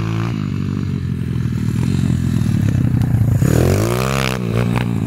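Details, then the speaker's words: IMR 140cc XL pit bike after adjusting the air screw on its cheap Chinese carburettor: single cylinder revs up and drops back cleanly, pitch rising smoothly with throttle, no stumble or bog; runs better. "no se ahoga ni nada o sea mejor"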